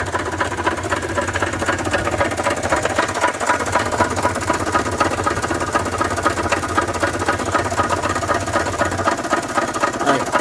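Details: 1993 Toyota Tercel on a lift, just started during its revival, heard at the engine: heavy, regular knocking at about four per second over a rough, labouring idle, and it won't accelerate. The owner suspects rod knock; the cause is unconfirmed.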